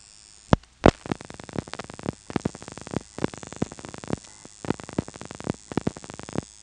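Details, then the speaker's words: Step-by-step office with directors, Elizabeth City NC area, March 1977: dialing 453 then 2; trains of relay clicks in five pulsing bursts, 6 plus 25 plus 2, one for the director's routing decision and one per digit dialed out, normal director pulsing. "And there's 5 pulsing events corresponding to 6 plus 25 plus 2. So the director's routing decision makes 1 pulsing noise, and then each digit it dials out makes another noise."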